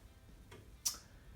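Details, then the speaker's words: Amiga, Fat Agnes installed, picture restored: faint tap then one crisp click from the empty floppy drive, the ordinary disk-change click, as it should. "The disk drive, it clicks as it should. That's just beautiful."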